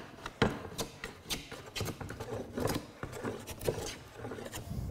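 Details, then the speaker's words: Long hand plane set not too deep, flattening a rough board: short scraping strokes with harsher rasping bursts as the blade rides high spots and bites into end grain; plane catching end grain. "that's hitting the end grain again so I really did pick a bad board to demonstrate this on in the sense that it's harder"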